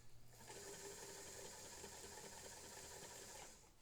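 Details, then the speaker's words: Singer 99K vintage sewing machine after a new motor belt install: quick, light, even whirring with a steady stitch rhythm, starting and stopping cleanly; normal smooth running. "But this one, this one is very happy."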